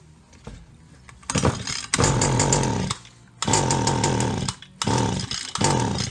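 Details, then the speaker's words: Stihl HL 75K hedge trimmer, two-stroke single-cylinder, plug dried out: catches in short one-second bursts, bogs and cuts out, fuel on muffler and misting from cylinder; hardened carb diaphragm flooding it. Flooding from hardened carburetor diaphragm. "that's it she's flooded and you can actually see the fuel on the muffler"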